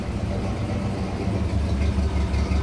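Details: 1959 Pontiac V8 at idle after refitting the spark plugs: lumpy, uneven idle with irregular stumbles, barely wants to run, plus belt squeal; misfire goes away with throttle, owner suspects the carburetor.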